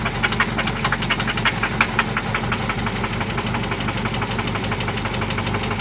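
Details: 1995 Toyota Celica ST after an oil change and new spark plugs: sharp, regular knocking about three per second over a steady idle, loud and internal, seemingly from one spot; cause not pinned down.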